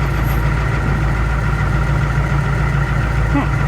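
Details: Steady, even diesel clatter with a deep, constant beat and no misses or knocks; Ford L8000 truck crane, started on a jump pack after sitting four or five years, idling healthily.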